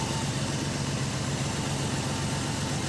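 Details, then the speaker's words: Engine idling after carburetor and distributor work, timing set: steady idle with light uneven metallic rattle on exhaust note; suspected loose exhaust/muffler internals, not confirmed. "she don't sound bad but i think we got some loose muffler issues just hear something rattling back there like inside a muffin"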